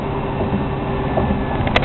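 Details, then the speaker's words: 1972 Chevy Monte Carlo, engine running about 2000 rpm during a test drive before fuel injection conversion and other work: steady loud drone with a thin high scream and two sharp clicks near the end; motor noisy, cause unclear. "The RPMs are nice. It's running like 2,000 right now. But the motor's making a lot of noise."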